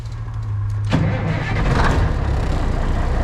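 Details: Classic White Freightliner diesel truck, sat in the cold, block heater plugged in overnight and one shot of ether, cold start: steady cranking nearly a second, catches sharply and settles into loud rough cold idle, blowing smoke; healthy start.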